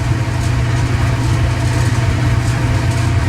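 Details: Clothes dryer running with door open while the heating element glows cherry red then cuts off, owner suspects element or thermostat: steady, even low hum with no thumps, squeals or scraping; drum turns smoothly, drive healthy.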